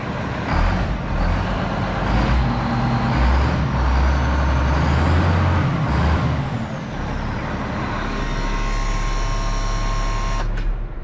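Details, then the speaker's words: Road grader diesel after starting problem work and installing accessories, charging 14 volts: deep rumble catches right away without long cranking and settles to steady even run; starts easily, normal start. "oh she sounds sweet oh she just sounds sweet he's like a glass of wine she just keeps getting better with age"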